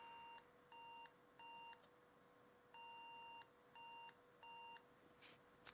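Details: Pentium 4 desktop PC powering on with no display on DVI or VGA: short clean mid-pitch POST beeps repeat in an uneven pattern with gaps, no fan noise over them; RAM sticks being swapped, broken RAM suspected, not confirmed.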